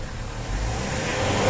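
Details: Mitsubishi Fuso 4P10F1 diesel after a no-start fixed by a reset, check engine light off and no codes: picks up cleanly and holds a steady, rising rev with no misses or knocks; normal revving, engine sounds healthy.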